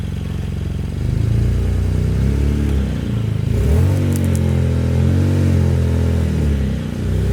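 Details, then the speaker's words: BMW E92 335i N54 six-speed manual, first start after two to three years sitting with rats living in it: engine catches and runs unevenly, drone surging and dipping with a loose clatter; rough running after long storage. "yeah if I were to guess that sounded pretty bad but um let's keep going I guess"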